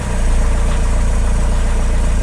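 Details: Diesel Opel/Vauxhall Vivaro that wouldn't start: the fuel priming bulb had a hole. Hand-primed with a thumb over the hole, it cranks and settles to an even idle with steady low pulses. The leaking priming bulb was starving it of fuel; bulb and line to be replaced.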